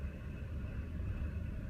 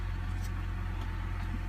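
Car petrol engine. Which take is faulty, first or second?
first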